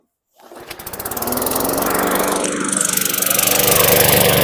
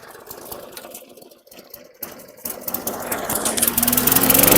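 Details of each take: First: 2012 Weed Eater push mower, 550E series 140cc, a suspected flood victim: catches and settles into a fast, slightly blubbery chug, running rich. Owner suspects oil overfill burning; milky oil later showed water in it. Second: 2012 Weed Eater push mower, 550E series 140cc engine, suspected hurricane flood victim, primed: rough start with crackling handling noise, then catches, revs up and settles into a steady even beat; normal running.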